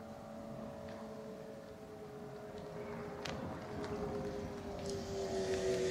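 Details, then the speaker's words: MG ZS EV pedestrian alert sounder heard from a tripod microphone set at sounder height as the car approaches and pulls up; a faint steady two-note hum grows slowly louder over light traffic. The sounder is working. "so I'll shut up now if you listen very very carefully you will hear it the sound from quite a way off"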